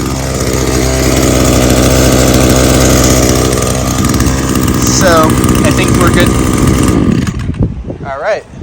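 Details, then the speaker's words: Echo SRM-225 two-stroke string trimmer after carburetor cleaning. It revs cleanly with crisp throttle response and no bogging, then drops back to idle, so no adjustment is needed. Normal running. "as you can hear it's got good throttle response it's not bogging either so no need to do any adjustments"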